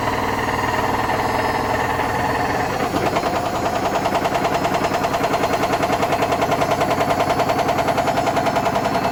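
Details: Hotpoint BHWMXL145 washing machine winding up toward a 1400 rpm spin on a test spin. Fast, heavy rhythmic banging of about three thumps a second builds as it speeds up. Two drum spider arms are snapped.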